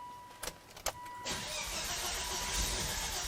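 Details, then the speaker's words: 2005 Volvo V70R salvage car: a couple of clicks then about two seconds of steady cranking that never catches, fuel pump and relay working; cranks but won't start, code 5000 engine speed sensor signal fault. "well I can hear the pump turn it on and the fuel pump relay is on so I really need to watch other stuff in here"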